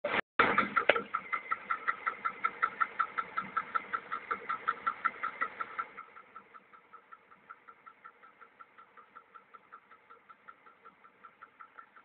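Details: VAZ 2103 engine at idle: sharp, regular clicks about three per second, tapping at engine speed; owner asks what the knock is or whether it's normal, source unknown.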